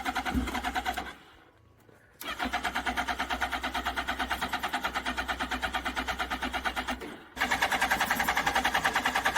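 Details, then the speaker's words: Suzuki Hayabusa revived after sitting: starter cranks in steady rapid pulses with pauses but it never runs cleanly; it runs on starter fluid, so the fuel pump is suspected too weak. "it runs off starter fluid so the bike will run it's just not that pump's not strong enough"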